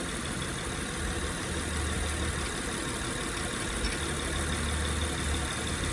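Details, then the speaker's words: 2007 Honda Pilot idling after topping up low power steering fluid: steady, even idle with the earlier whine from the pump sucking air now gone, showing the power steering pump works fine; normal idle. "ya agregando el Power Steering acá, se quita el sonido porque ya el líquido ya no jala aire."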